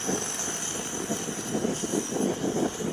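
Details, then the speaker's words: MSR WhisperLite backpacking stove warming up on a cold-blooded day, valve being opened slowly; hissing roar surging and pulsing unevenly before the flame clears and settles, normal warm-up. "you might get a little flame like this that's just it warming up you're almost there once that clears give it a second once that clears you can pretty much open this wide open"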